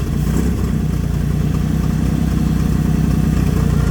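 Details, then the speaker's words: Old Jeep CJ with SM420 transmission, sat about 15 years, idling just after first start: steady low rumble with even beat, no knocking or ticking; 60 lb of oil pressure, sounds healthy. "60 lb of oil pressure. 60 lb of oil pressure. I can't believe that. That sounds good."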